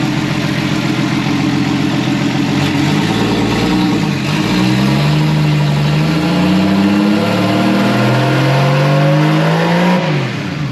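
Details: First start this year of a newly wired RB20DET straight-six in a Datsun 240Z: it runs cleanly, rising and falling evenly through several throttle blips with no misfire or knock.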